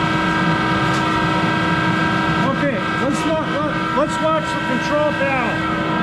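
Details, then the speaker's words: Monarch 10EE lathe, 3-phase motor-generator DC spindle drive, speed changed then stopped: loud steady hum with fixed tones and sweeping pitches; worn motor-generator bearings needing replacement. "start the machine up and it's louder in hell because it's got those bearings that need to be replaced in that motor generator so bear with the noise"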